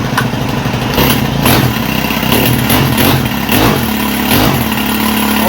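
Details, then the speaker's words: Dumpster-find Senix 4QL 26cc four-stroke hedge trimmer with a bad pull start, started in rain using push-button choke: fires up and settles into a steady, even chatter with no misses or knocks; normal running. "she sounds like a manly one, don't it? Four-stroke light."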